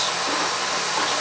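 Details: Oil boiler burner after service with a smaller nozzle fitted and air band to be reset: steady, even roaring rush of air and flame with no pulsing, rumble or sputter; flame looks fine, maybe slightly more air needed.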